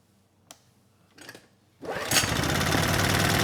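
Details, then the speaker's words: Honeywell HW2000i 2000-watt inverter generator, previously non-running and low on oil, after topping up with about 200 ml of oil: a couple of quiet clicks, then it catches at once and runs steadily and evenly; normal start and run. "let's try it again okay good it starts right up so I'd say we're out of the woods on this one"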